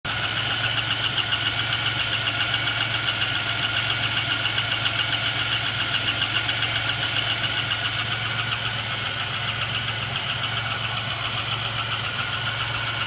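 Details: GM 3800 V6 with 237,000 miles, noise started the previous night: steady, quick metallic ticking over a smooth idle at three or four a second, following engine speed. A collapsed lifter is suspected but not confirmed.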